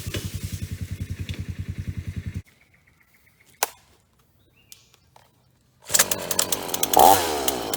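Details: Repaired Ross chainsaw cutting dead privet: steady pulsing idle, then it winds up and holds an even pitch without bogging, no fluid leaks. Normal cutting under load.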